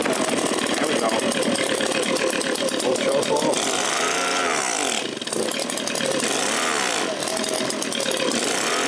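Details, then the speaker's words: Echo PB-265L backpack leaf blower after carburettor rebuild and fuel line repair, first test on choke with some throttle: loud ragged two-stroke buzz that surges and sags unevenly and won't run properly. "Yeah, she's not running so good. So, we might want to loosen this cap a little bit."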